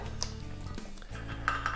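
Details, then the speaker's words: Bicycle wheel after truing: spokes squeezed by hand in pairs to release tension, giving a few bright metallic pings from the rim; normal tension settling. "Sometimes you will hear different noises on your rim, meaning that you are releasing the tension."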